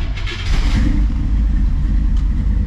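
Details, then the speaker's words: 1957 V8 after Pertronix ignition module swap, running on a carburetor in place of FiTech, timing admittedly wrong, fuel leaking: catches and settles into a heavy, uneven, lumpy low rumble; rough running with ignition timing off. "like i said the timing is going to be off wrong bad"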